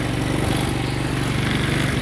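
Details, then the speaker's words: 2012 TaoTao 125B ATV running after replacing the blown brake-light fuse that prevented starting: small single chugs at a fast, slightly uneven beat with hiccups; rough idle, chain loose, cause not found. "yeah it runs rough and the chain's loose but hey for less than 100 bucks i got it to run"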